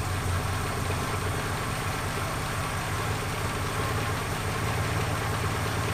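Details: 1976 Ford Capri Ghia, carburetor after fixing fuel leaks, running: steady, even low rumble holding speed with no misses, stumbles or knocks; fuel system good, runs fairly well, tune uncertain until the vacuum systems are gone through.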